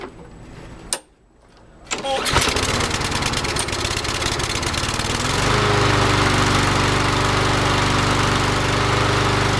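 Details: Craftsman Gold 6.75 ft-lb Briggs & Stratton 190cc mower that would not start, after draining fuel, carburetor service and fresh gas: a couple of pulls, then it catches and runs steadily with no misses or surging. Normal start and run.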